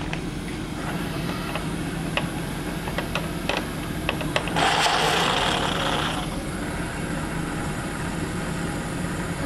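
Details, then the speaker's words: Newly built vertical test steam boiler raising pressure: injector opened, rushing hiss comes in sharply then settles to a steady lower hiss, picking up and feeding water, raising level about half an inch. Normal injector operation. "The injector works good. I'll run that for you. Open the water. Valve's right here."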